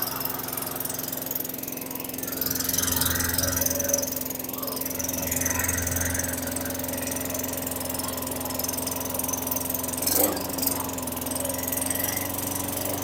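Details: 2003 Craftsman mower (model 917.387360), Tecumseh 4.5 hp 148cc engine, after installing the correct carburetor: quiet, even single-cylinder hum at steady pitch, no hunting or misfires; idle slightly slow, otherwise runs fine.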